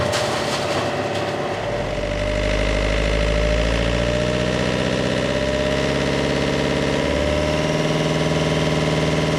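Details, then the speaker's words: Marine diesel after fuel filter replacement and priming, a brief stumble on start: settles into an even idle with a clear steady turbo whistle, the turbo now heard spinning, a temporary success after heavy smoke at higher rpm. Normal turbo whistle. "I can hear the turbo now that's a good sign"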